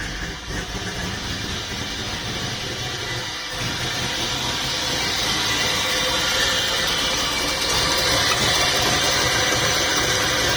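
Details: Volvo 240GLE with LS2 V8 swap, turbo project, full single 3-inch exhaust fitted, wideband disconnected: deep, even V8 idle through exhaust, settling slightly higher after a few seconds; steady, normal idle.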